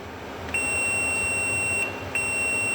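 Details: Air conditioner control board buzzer: clear, steady high-pitched beep of over a second, a short gap, then it sounds again. The buzzer works properly.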